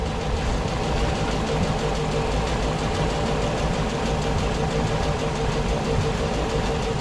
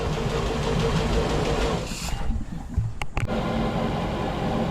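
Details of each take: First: 32ft SeaVee boat outboard started after a full rewire and fuel priming runs uneven and lumpy because the fuel rails aren't full yet; it smooths out shortly after. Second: 32 ft SeaVee outboard after a complete rewire, restarted once the fuel was primed and the fuel rails had filled (it ran rough at first). Low, steady, even hum with no misses, settled into a smooth idle.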